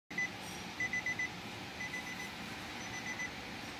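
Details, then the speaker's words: 2021 Nissan Altima, start button pressed: repeated short electronic chimes over a quiet hum, but the starter never cranks; no crank, no start caused by a faulty IPDM, fixed by replacing it and doing read/write configuration. "no Nissan ultima 2021 no Crank no start"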